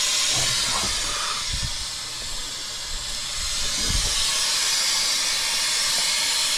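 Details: Truck AC with a newly installed compressor: loud, steady high hiss of refrigerant under pressure escaping from the bottom of an AC line that blew out, not the compressor.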